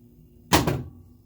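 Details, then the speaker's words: South Park pinball machine, diagnosing dead solenoids, coil at 73 V: grounding driver transistor Q3 gives one sharp, solid clack with a small spark and a brief buzz; that solenoid circuit works. "Now I'm going to ground it, and you'll hear a solenoid fire, and you'll see a little spark show too."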